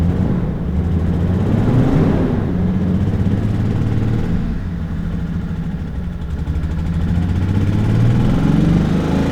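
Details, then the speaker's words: Toyota Supra: lumpy, uneven running with revs wandering up and down, as if about to stall. "if you had to kind of boost the throttle and give it gas until it warmed up then it would stay running but it would just run poorly"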